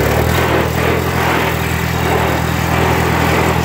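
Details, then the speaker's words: Vintage eight-speed tractor driving in low range, third gear: loud constant gear drone over the engine note from the double-reduction rear end with bull gears and small pinions, amplified by the fenders. Rear axle gear noise. "the rear ends in these things are terrible they've got um a double reduction in them with bull gears and little pinions there's all kinds of stuff in there and they are as loud as hell"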